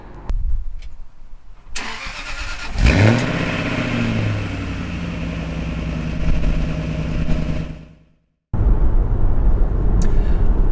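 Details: Jaguar XKR with exhaust valves cable-tied shut and fuse 19 removed, forcing flow through the silencer: engine fires up, flares, revs and settles. The note stays a muted, deep drone.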